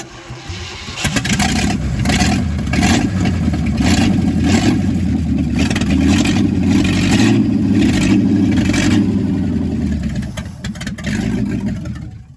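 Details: Chevrolet C50 truck engine on its first start after a rebuild: it cranks briefly, catches and settles into a steady, even low rumble with no knocks or misses. It puffs some smoke from one side, possibly rings still needing to seal.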